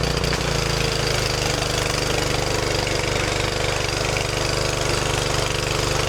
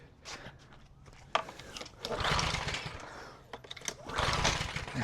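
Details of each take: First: Craftsman 2800 PSI pressure washer, Briggs & Stratton 163cc, after carburetor refit and linkage fix: small single-cylinder engine at steady, even fast beat, no misses or surging; normal running. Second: Craftsman 2800 PSI pressure washer, Briggs & Stratton 163cc, sat after little use with discolored stale fuel, pull-start with brake cleaner sprayed in; brief whirring churn, never catches; cranks but no start.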